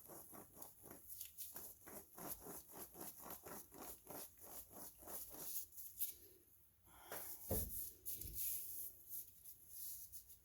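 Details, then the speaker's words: Rear wheel bearing removed from Toyota rear axle (drum brakes, noise rising with speed), turned slowly by hand: gritty scrape every few degrees, about three a second; rough worn bearing, new replacement turns silently. "y percibimos como girando lentamente con la mano este Valero produce este ruido imagínense al girar a alta"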